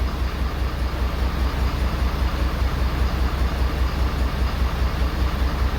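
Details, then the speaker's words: 2011 Ford Super Duty 6.7L Powerstroke diesel at idle, heard at the exhaust with injector 6 toggled in an actuation test: even low puff about 2.5 times a second, fainter with it disabled; cylinder 6 fires weakly, with low compression suspected. "You can definitely, when you disable, so that injector's working, it's hitting. Definitely without it, you don't hear it come out of the exhaust as much."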